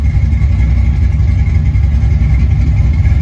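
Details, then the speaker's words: Ford 5.0 302 V8 after refitting a roller rocker that had come off from improper installation: deep steady rumble, even pulse, no ticking or knocking; back to normal, quiet, no lifter noise. "I am stunned. It's back to its normal old self. It's quiet, no lifter noise."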